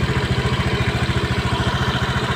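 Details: Honda Beat Eco injected scooter after repairing and insulating the TPS sensor wire that chafed on the air filter box, previously stalling, powerless, laggy throttle; even putt-putt of about twelve beats a second holding steady until shut off: normal idle.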